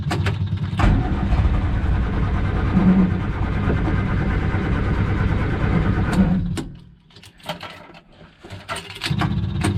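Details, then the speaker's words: Morris Minor with choke and easy start spray, electric SU fuel pump clicking: engine catches, runs roughly several seconds, then sags and sputters out; owner blames dirty fuel in the tank, no leaks, pump still runs. "yeah she doesn't want to run on filth in the tank that's a damn shame"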